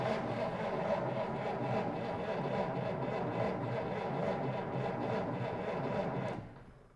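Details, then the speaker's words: 1947 Dodge D24 Deluxe, not run in over 6 months, owner suspects ignition: steady starter churning at about four beats a second for six seconds with a little choke, no catch; cranks but won't start, lots of fuel found sloshing afterwards. "man we almost got it barked off but not yet"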